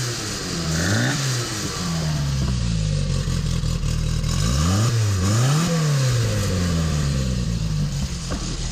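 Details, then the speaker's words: 1972 Fiat 850 Sport Spider, 903 cc four-cylinder, about 70 miles after rebuild, Fiat 127 alternator fitted: clean rising and falling blips with no knocks or misses; normal revving with good power, owner suspects a carburetor air leak. "sounding good and got some good power in her"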